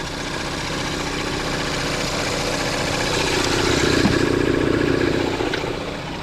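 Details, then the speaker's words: 2016 Ford Edge 2.0L EcoBoost four-cylinder with 6F35 transmission, warmed-up idle, recorded under the hood: faint low steady rattle under the engine hum, first mistaken for an exhaust leak or rod knock; cracked flexplate. "So now that it's warmed up a little bit, you can hear the noise a little bit more. Under the hood, you just hear a low rattle."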